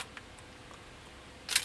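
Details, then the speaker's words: Very dirty vintage Nikon 35mm single-lens reflex camera found in a barn, with a corroded battery compartment: a single crisp mechanical clack from shutter and mirror in a quiet room; shutter fires and sounds functional. "Wow, this one's filthy. And it still sounds like it functions."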